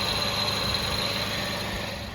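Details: 2010 Kia Soul idling after replacing power steering and A/C pump V-belts (alternator belt earlier) to cure a long-running squeal: steady even idle, only a very faint high whistle, no belt squeal or chirp; belts now quiet.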